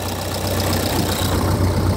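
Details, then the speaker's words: 1997 Ford Escort 55 D diesel van, warm: steady, even diesel clatter at idle with a smooth low drone and no knocks or misses; healthy, not powerful but unburstable. "brilliant engine not exactly bursting with power but unburstable really"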